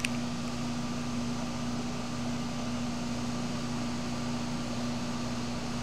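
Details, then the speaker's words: Goodman heat pump outdoor unit running several minutes in heat mode, wet cold day around 41F, high humidity, thermostat set to 72: steady compressor hum with constant low tone and even fan rush, no knocks or rattles; heating normally. "looks heat is on just like i thought minutes in heating mode obviously because it's like 40 something degrees outside"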